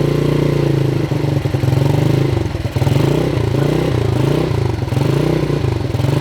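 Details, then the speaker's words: 1977 Honda CT 125 motorcycle, previous owner says it runs good: strong, even single-cylinder thump rising and falling cleanly with the throttle, no knocks or rattles; healthy running bike. "I gave it to him. Free. And it runs good."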